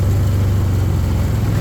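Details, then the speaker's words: 2013 Arctic Cat Wildcat 1000 side-by-side before repair: deep lumpy low rumble with an uneven beat and little top end, running really badly; running on one cylinder. "yeah it's running but it's not running good it's uh it was really really bad"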